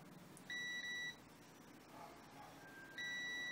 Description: The Display shows some measurements which means that probes are indeed connected but the beeping does not sound.